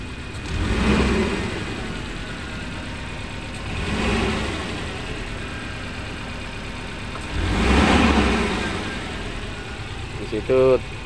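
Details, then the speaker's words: Suzuki Carry Futura pickup, exhaust sound and throttle blips: each rev rises unevenly and stumbles, whole cabin vibrates, lacks power; one cylinder misfiring, traced to a dead spark plug. "ya nah ini kita coba ini mesinnya ginjal seperti ini yaetar seperti ada satu e pengapian yang tidak berfungsi"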